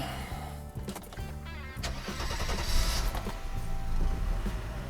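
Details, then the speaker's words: Restored Mercedes W126 300SEL after replacing air filter base and fuel distributor bases: brief crank, catches right away and settles into a steady, even run with no stumbling; healthy start. "This is also the condition of the car. It's looking great."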